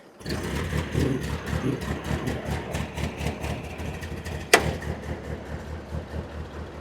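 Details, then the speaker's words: Old Ford 8N tractor (circa 1948–52), out of gear; previously popped badly and needed long cranking. Catches within about 5 seconds and settles into an even, steady idle with evenly spaced pops, no misses; normal start and idle. "up. Purse like a kitten. Yes, she does. Ladies and gentlemen, I don't know if you remember last time when we started it, it was popping like crazy."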